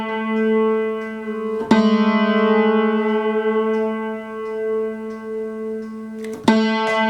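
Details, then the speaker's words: Upright piano being home-tuned with the felt pulled to expose all three unison strings, one accidentally made very flat: the sustained note wavers in loudness several times a second as the strings beat against each other. "So now you got three things all doing the little hokey pokey dance, and right about there."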